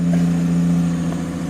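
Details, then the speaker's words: Big six-cylinder engine just started, mostly driven on very short trips: a strong, steady low drone with a rough, puffy edge from an exhaust leak, with a maintenance-required warning showing. "hear that don't sound right that's right there is an exhaust leak"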